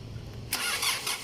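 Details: 2009 Kia Sorento CRDi diesel won't start; quiet then a sudden high starter whir with rhythmic cranking pulse that never catches during injector supply checks; cranks but won't start.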